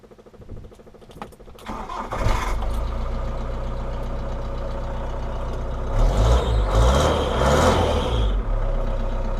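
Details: After fitting a Carbol electric fuel pump: a few seconds of faint pump ticking and cranking, then the engine catches and settles into a steady, even idle; starts cleanly.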